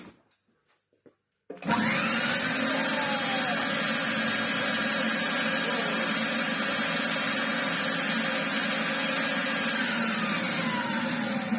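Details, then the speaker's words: 1960s Kenwood A640 vacuum cleaner with a 650 W motor, run after removing a mouse nest and a blown suppressor. After a short silence the motor starts into a steady, even high-pitched whir with no rattles or surging. Runs well. "That is excellent news. It runs really, really well."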